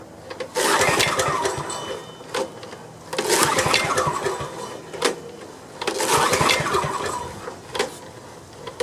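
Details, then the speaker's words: Restored Homelite generator with a small drip leak: repeated pull-start bursts of rough churning that never catch and run; owner suspects the carburetor is still clogged. "well something's going on once the carburetor still clogged up"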